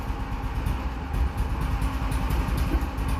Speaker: see if she'll take some throttle little cold come on BBE